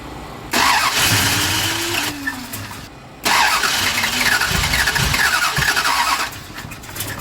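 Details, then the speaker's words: Drag car at the strip, during a restart attempt: two bursts of fast even starter whirring, no catch or firing; engine cranks freely but will not start. "okay go ahead and crank it [Laughter] and give it a little bit of juice but it didn't even act like it wanted to kick [Music] okay just one more [Laughter] oh this thing just does not want to start"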